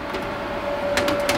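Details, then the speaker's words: Home server (Asus X58, Xeon X5650): steady thin mid-pitched whir with a few soft ticks from the thin 80 mm fan behind the motherboard at the CPU socket, the noise source. "you may remember that little thin 80 millimeter fan behind the motherboard behind the CPU socket well that's where all the noise was coming from"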